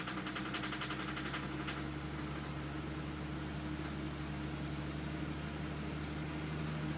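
Engine runs at a steady idle with a light, quick ticking rattle on top, strongest in the first couple of seconds; source unclear.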